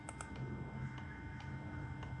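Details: 2007 VW Rabbit 2.5L, engine off, EVAP purge valve actuated via VCDS output test while diagnosing overheating; light sharp ticks roughly every half second over low hum; purge valve clicking normally.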